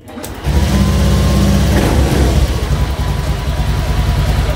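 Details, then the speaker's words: Honda automatic scooter (Vario) that intermittently misfired (brebet), after replacing the faulty fuel pump: starts and settles into an even, steady idle with a smooth low hum, no stumbling; healthy idle. "Tuh teman-teman, suaranya juga enak ya, dengungannya juga pas."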